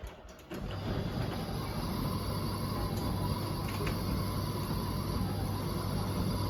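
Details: Bosch Serie 4 WTN83200GB/01 running: the drum turns with a steady low rumble and a faint repeating mechanical ticking about four times a second; strange running noise, cause unclear.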